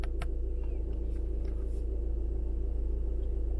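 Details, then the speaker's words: VW electric parking brake released via icarsoft VAWS V2.0 service menu for rear pad replacement: low even motor hum as rear caliper motors wind back; brake released normally. "You can hear that noise. Now it's come on the dash that the electronic parking brake is disabled."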